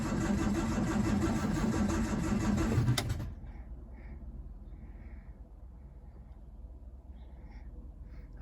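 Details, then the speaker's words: Standard Vanguard III not started in nearly a year: steady starter churning at about 3.5 turns per second for three seconds, no start, then silence; plenty of petrol, owner concludes ignition-related. "I could hear it slight cough give it a give it a squirt I think I don't want to pump too much because can end up flooding it"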